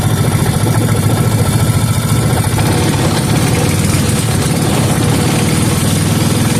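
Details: 5hp Briggs and Stratton engine rebuilt from many missing parts, with two-cycle fuel and penetrating oil burning off: steady, even single-cylinder idle with no knocks or rattles and no noticeable smoke; sounds healthy.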